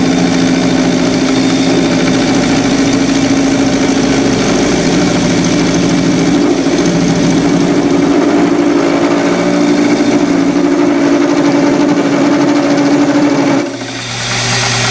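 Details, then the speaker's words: Lathe turning a model crankshaft for a two-cylinder horizontal engine: steady buzzing hum through the cut for about thirteen seconds, then it drops away; tool chatter, suspected from tool overhang rather than crank overhang. "getting a little chatter there as you can hear I think that's more to do with the overhang of the uh tool than it is the actual overhang of the crank itself"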